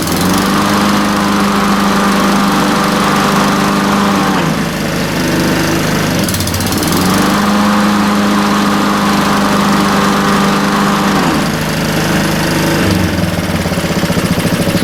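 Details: Hayter 479 series mower after blade brake cable replacement: steady engine with whirring blade, note dips and recovers as blade brake engages and stops the blade, then shuts down cleanly; blade brake working.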